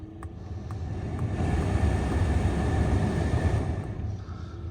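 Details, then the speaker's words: Mercedes C300 with a new blower motor fitted to fix no heat: smooth, steady fan rush that swells and settles with no rattle or squeal; normal blower motor running. "we'll snap the new motor in and and uh plug it in and test her out boom we got heat you can hear it works on all the"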